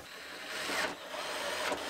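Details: Newly installed door lock actuator in a 2012 Lexus IS 250 door during reassembly after side-impact repair: two quick mechanical thunks about a second apart over a quiet background. The actuator cycles cleanly, normal operation.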